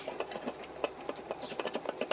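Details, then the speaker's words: 2002 Chevrolet Silverado 5.3 whose rattle sounded like the transmission: irregular light clinks, about four or five a second, come from one of its two catalytic converters, cut out, with loose broken insides. It was replaced with a new converter. "2002 Silverado okay now this thing had a rattle in it really sound like it's comes in transmission and um what I've done here is I took that grinder with the cut off wheel and I've cut the converter out of the one side here now if you listen rattles this side right here"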